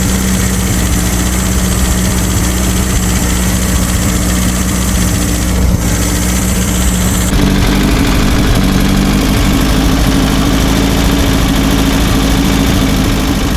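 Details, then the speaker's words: Abandoned air-cooled VW Baja Bug race car just revived after a timing adjustment, idling with a steady, even low rumble and no knocks or misses while warming up. "we'll just let it let it warm up a bit yep"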